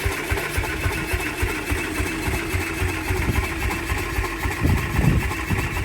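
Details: 1949 Ransomes MG5 crawler tractor, first start and drive after correcting rebuilt magneto fitted about 180 degrees out of phase and adding new fuel; low chugging petrol beat with busy mechanical clatter, even speed, running properly.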